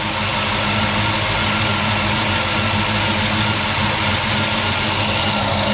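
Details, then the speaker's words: Chevy gasser engine running bad with a lumpy, uneven idle and a missing beat, because one spark plug wire was left off; an oil pressure fitting is also leaking. "Oh, it might just Oh, I probably figure out why it's running bad is it's got one plug wire off of it."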